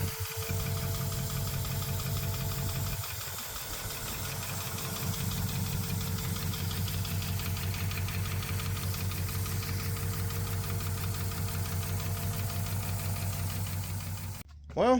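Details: 1971 SS El Camino big-block Chevy running with valve covers off, lifters adjusted, carburetor and timing not yet fully set: rough idle with a fast, busy ticking over the low rumble; owner suspects something in the valvetrain is making contact.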